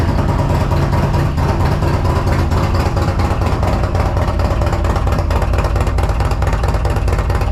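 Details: 2022 Harley CVO at first start after a Feuling Reaper 472 cam, camplate, oil pump and lifters, Thundermax tuner, FullSac headers and S&S intake: loud, lumpy V-twin idle with deep uneven cam lope, steady, no knocks; healthy.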